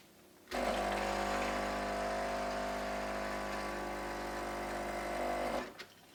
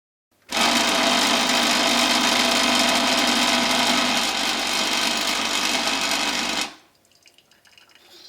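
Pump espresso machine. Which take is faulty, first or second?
second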